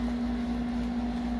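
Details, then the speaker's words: GE GTW460ASJ5WW top-load washer after lid lock replacement, which previously would not start anything; steady valve hum with water hissing into the tub; inlet valves opening, normal water fill. "water going into the machine here and you can hear the water going in whereas before there was nothing happening"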